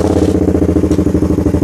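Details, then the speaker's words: Suzuki Satria Fi150 at idle with an anti-stutter cable fitted on the O2 sensor wiring: small single thumps with an uneven, stumbling low-rpm stutter while held at idle, though it clears when revved hard. "kita lihat di speedometernya rpm-nya tadi masih ada nyendet bbet ya Oke ini masih ada brebet Sahabat kalau ditahan"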